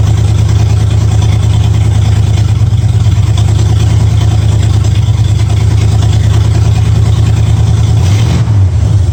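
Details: 1965 Ford Mustang V8 idling smoothly with a deep, regular lope and no misses, after fitting new headers, setting timing to 12 degrees before and turning the front-adjusted idle screw about three quarters of a turn; sounds real good, normal idle.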